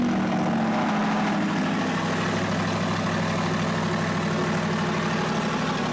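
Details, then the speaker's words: 2023 Corvette C8 Stingray V8 just after a cold start, warming before a DCT fluid change: loud raised idle, steady deep rumble with a faint tone easing down, running evenly; normal cold start idle. "Okay, so we're going to fire it up, a cold start here. I'm going to fire this up. Cold start."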